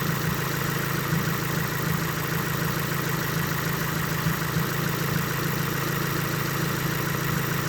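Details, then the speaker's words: Subaru WRX at idle with a long-running fine-knock-learn issue. Steady, lawnmower-like boxer burble, even and unbroken with no knock or misses; sounds normal. "I mean, you can tell it still sounds normal. I mean, it sounds like a noisy lawnmower in my opinion still, but"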